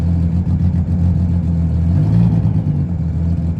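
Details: Sea-Doo GTX 260 after IBR rewiring redone, key reinstalled, tested in forward: steady low drone with a brief rise when shifted into gear, even with no knocks or misses; IBR now working, normal running.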